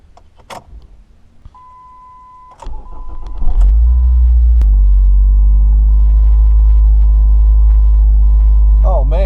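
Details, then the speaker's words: 2007 Ford Focus start-up: chime, brief crank, then loud heavy booming idle with whole-cabin and headliner rattle; collapsed engine and/or transmission mount, both mounts then replaced. "everything in this car is just rattling I mean from the headliner everything does your car sound like this if it does it could be an engine or transmission mount or both that are collapsed"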